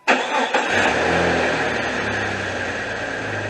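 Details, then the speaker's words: 2001 Jeep Cherokee Sport 4.0 six-cylinder with the drive belt removed: catches right away and idles evenly with no knock, so the engine is sound. The knocking came from a failing power steering pump. "you can hear the engine with nothing turning on the front sounds like a really good running uh 4-0 so it's not it's not an internal engine problem"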